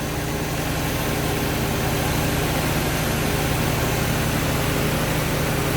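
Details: Project car at first start after a coolant leak repair (gasket at back of block), refilled and not leaking, run to heat-cycle and burp the radiator: steady, even idle with a constant low hum and no misses or knocks; normal.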